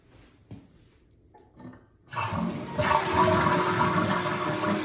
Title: Toilet Makes Strange Noise